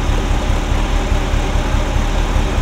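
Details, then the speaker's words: Ferrari Mondial V8 idles rough with uneven pulsing thrum, popping and banging like an old marine engine; hard starting and timing mark not visible, owner suspects a sensor causing cylinder 5–8 timing issue and misfire. "so so it's it's running rough popping and banging it kind of sounds like an old marine engine at the moment"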